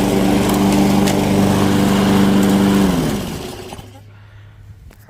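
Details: Curbside-found Weed Eater lawn mower, first run attempt: runs smooth and even with a steady drone for about three seconds, then winds down; sounds healthy.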